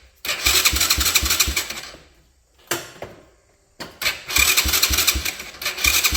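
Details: RPS 125cc kids' four-wheeler after fixing a fuel leak and double-nutting a loose exhaust. The small engine catches, stumbles out, then restarts and settles into a quick, fairly even idle putter: running normally.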